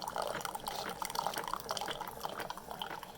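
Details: Keurig brewer that only dribbled water, after clearing coffee grounds with a paperclip: drips and a steady trickle into the cup as the pump runs faster; normal water dispensing.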